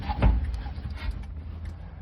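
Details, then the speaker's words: 1948 GMC COE cabover truck, long-stored, before first start attempt: light spaced ticks over quiet background with handling noise; turn signal flasher relay clicking normally. "And I hear a turn signal. Hear a turn signal relay."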